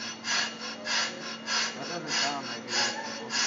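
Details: Brake rotor turned on a brake lathe, rough cut run out by hand: harsh scraping that swells and fades about 98 times a minute as the cutter bites the high spots; badly worn, uneven rotor.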